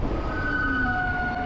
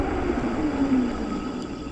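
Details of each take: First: E-bike rear disc brake, rear rotor still stock while front was upgraded from 180mm to 203mm. Two steady high-pitched squealing tones hold through the stop over a low rumble. Rear disc brake squeal; owner plans a 203mm rear rotor. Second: E-bike front brake after upgrading from 180mm to 203mm rotor, over 5,000 miles, previously squeaky for about 3,000 miles: quick stop with road and drivetrain noise fading smoothly, no squeal or grinding; quiet disc brake stop.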